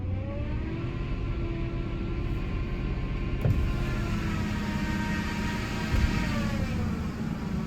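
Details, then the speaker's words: 2005 Ford F-150 Lariat 5.4L Triton V8, 215,000 miles, idling then revved: steady whine rising in pitch and louder with revs, worst when very cold, now constant; worn belt tensioner/idler pulley, replaced with serpentine belt. "Okay, so there's the noise. It happens mostly when it's really, really cold, but now it will not go away."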